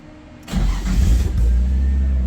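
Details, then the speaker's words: Nissan 240SX cold start: short crank catches and settles into a steady, low idle with no misses or knocks; normal cold start and idle, though it usually needs a second try. "Always second try on the cold start with these. Sounds good though."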